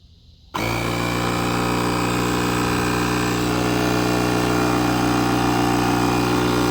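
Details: Buture Beta07 jump starter's built-in air compressor, inflating a 33" tire from 5 to 40 PSI on the same charge after engine-crank tests: snaps on into a steady, fast, strong buzzing chatter. Compressor running normally.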